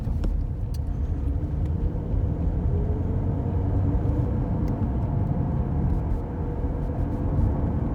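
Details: Worn hub bearing heard from a tyre while driving, recorded from the passenger side: a deep steady rumble droning without letup under road noise, heard as gogogo, rururu, won-won, gorogoro.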